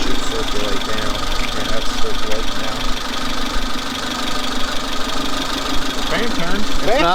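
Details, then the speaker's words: Suzuki Samurai after coolant refill with melted ice, at idle: steady, even idle with smooth fan whoosh, no blade ticking or scraping; fan clearing shroud and pulling air, now efficient. "Fan's efficient now."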